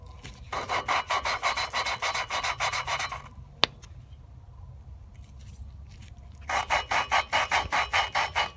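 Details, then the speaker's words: Volvo 960 cylinder head during a valve job for a turbo build: a freshly fitted valve being lapped gives quick, coarse, gritty rasping like grinding rocks, unlike the smooth sound of a nearly finished, bedded-in seat. "I'm gonna move to this next one which I just put in and I'm really the best gonna sound pretty rough that sounds like it's grinding the rocks"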